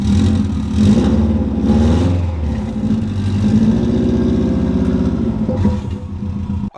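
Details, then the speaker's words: 2002 Subaru WRX on its first start after sitting, topped up with fresh gas: uneven, lumpy revving with a wavering low drone that won't settle; rough running from a poorly fitting blow-off valve letting in extra air. "she doesn't run perfectly because the blow off valve doesn't even fit like we said before it's messed up and they putted it on so it doesn't fit this way"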